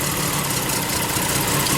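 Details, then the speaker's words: Lexus RX 300 with a misfire, stumble and check engine light: a lumpy, stumbling idle with one cylinder dead while its coil is unplugged, then it revs back up when replugged. Coil, plug, injector or wiring suspected; coils being swapped. "time I plug it in, it comes to life and you hear the engine run back up faster."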